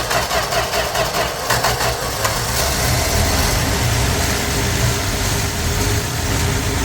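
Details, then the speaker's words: 1965 Plymouth Valiant 100, slant six, 3-speed, first start in years: engine catches on ether/fuel poured into the carb and runs unevenly, no smoke, but nothing comes through the fuel pump to keep it going; fuel pump not delivering fuel. "All right, we're running. There's nothing coming through the fuel pump."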